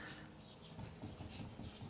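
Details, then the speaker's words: Front wheel rocked by hand while raised, after installing a drop spindle kit: soft, uneven low clunks from slight play, nothing sharp or grinding; this bearing play is normal and almost never goes away. "you can hear it okay that is kind of normal that's almost never gonna go away"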